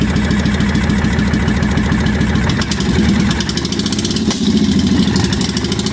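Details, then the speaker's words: 1998 Honda Shadow VT1100 abandoned bike after carb bowls drained and fresh gas, running without radiator or coolant: loping V-twin idle, steady uneven beat, slight backfire with choke open, smoother once choke turned down; normal idle. "but it's running sounds good little bit of backfire there I do have the Troke still open open let's turn that down yeah smoothed out a little bit better"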